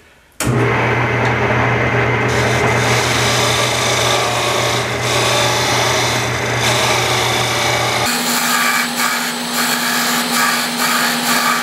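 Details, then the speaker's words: Lathe cutting a wooden split prototype pattern by hand-adjusted tool: steady spinning drone with a harsh buzzing rasp as the tool bites; fairly bad tool chatter. "ah okay another trick you can hear that what's called chattering right like i said i haven't done a split pattern this thing so we're gonna kind of do it even uh slow and steady all right we're not racing here okay so i'm chattering fairly bad and i don't that's not a good thing"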